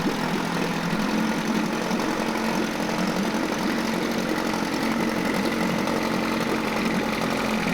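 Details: Mercury 9.8 hp 110 outboard after a new water pump impeller and lower unit seals: a steady, even two-stroke buzz with no knocks or misses. It is running smoothly and healthy.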